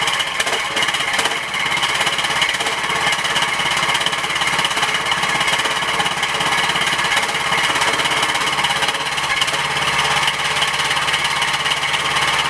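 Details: Tractor started after a week unused, with a leaking fuel line clamped by vise grips and battery on a charger: fast, uneven clattering run with harsh rasp and no steady beat, sounds worn; it smokes from oil dripping onto the exhaust, engine overfull.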